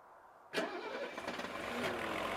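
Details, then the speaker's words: Mercedes with Bosch K-Jetronic fuel injection after new fuel injectors were fitted: hot start after sitting about 20 minutes, which was the problem before. The engine catches at once and idles steadily. "Look at that! It started right up and idles fine. Listen to that baby."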